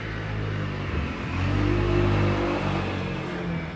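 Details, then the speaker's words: Toshiba top-loading washing machine after fixing an E95 error by checking all wires to the pressure switch: steady low motor hum builds smoothly and holds even pitch with no knocking or scraping; runs normally with no error code. "is my washing machine running without showing error code in 95"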